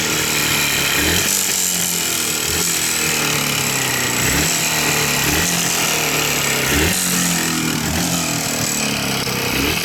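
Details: Jawa 350 two-stroke blipped up and down with a hard, uneven rapping running through it; a knock from inside the engine whose cause the owner doesn't know.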